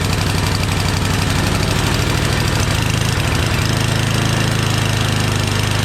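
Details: Yardman 8.5 hp 26" two-stage snowblower, reassembled, spark confirmed, catches on starting fluid and keeps a steady, fast putter. This points to a suspected fuel delivery problem, not confirmed: engine runs on starting fluid.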